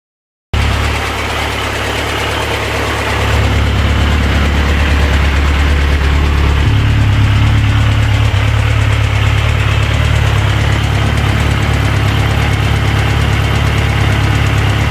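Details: Yamaha XJR1300 four-cylinder motorcycle idling and revving, faint regular ticking about three a second from right-hand top of engine (cam enclosure area); valve train clicking, resolved by adding hydraulic valve lifter fluid.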